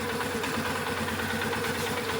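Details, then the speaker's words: Polaris Sportsman 500 ATV just above idle, stock before air box/intake modification: steady mid-pitched normal transmission whine over the single-cylinder thrum when given a bit of gas. "Now you can hear the tranny whining because I gave it a bit of gas there."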